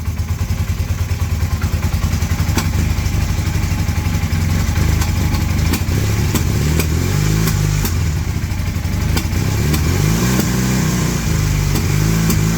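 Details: 1981 Honda CM400 twin, first start after sitting since 2000, while dry carbs refill: catches and revs unevenly with stumbling firing pulses and throttle blips, sputtering before it dies. Rough running.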